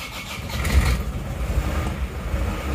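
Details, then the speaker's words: Diesel restarted after the radiator overheating and coolant-bubbling problem, traced to a defective cylinder head leaking compression into the coolant: brief slightly slow crank then catches and settles to a steady low chug; a normal start. "baru hidup baru pasang agak lambat ya hidupnya Pasti karena P panosa masih kosong"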